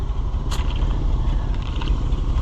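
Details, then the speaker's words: Rusty old Chevrolet C65 grain truck after carburetor rebuild, air cleaner reinstalled, idling: deep, steady low rumble with no misses, only faint rattles on top. Runs good; normal idle. "Boy, it runs good. I mean, for being a rusty old truck,"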